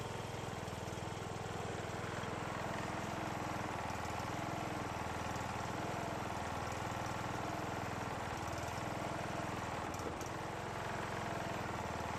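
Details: John Deere riding mower after years of storage, which stopped while cranking, running after valve lash adjustment, carburetor bowl filled via fuel line, starter jumped: steady, even single-cylinder putter at fast idle, no misses, knocks or ticking; normal.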